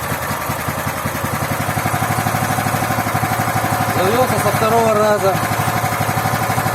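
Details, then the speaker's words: Loncin 15 hp single-cylinder engine, first start with fresh oil and petrol: settles into steady, even chug about three beats a second, no knocks or misses; running healthy. "Ланчин 15-сильный, первый запуск. Масло залили, бензин залили. Завелся"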